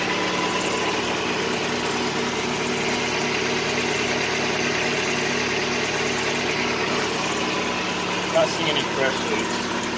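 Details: Mazda Miata (1.6 or 1.8L) after valve cover gasket replacement: smooth, even idle with steady tone, no ticking, misfire or hunting; no fresh leaks found, healthy.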